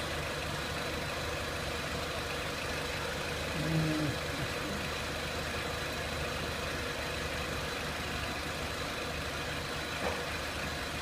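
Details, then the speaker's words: 2003 Renault Clio 1.6 petrol with intermittent stalling from a loose crank sensor connector, sensor good: even, steady engine note rising with RPM, no knocks, ticks or misses; normal engine revving. "Now as we increase the engine RPM, I'll just show you the voltage as well."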